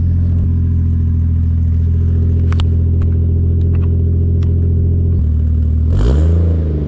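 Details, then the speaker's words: Toyota Mark II 1JZ with custom exhaust, running without an intake filter; deep steady six-cylinder drone at even revs, then quick blip and drop back, clean with no knocks or rattles; sounds pretty good. "Sounds pretty good."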